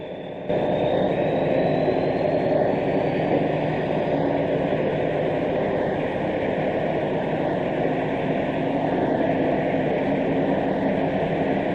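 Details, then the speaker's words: Class 74 no. 748 leaving Waterloo with Channel Islands boat train, 1976: engine and turbo roar runs down as loco changes to electric, then traction motor whine climbs during acceleration. "You can clearly hear the turbo rundown as the loco changes to electric power and then the traction motors singing as that sparkling class 74 acceleration kicks in on electric."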